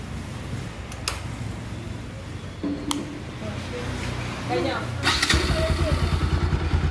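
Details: Bajaj Pulsar NS200 single-cylinder after cylinder head and cylinder kit refit to cure engine noise: starts and settles into a steady, even idle with a clean regular beat, no tapping or rattle.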